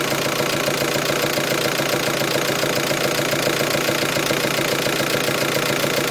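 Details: VW T5 van engine idling with a steady, fairly fast knock of about three or four beats a second; the noise started first at higher revs, then at idle, and comes and goes.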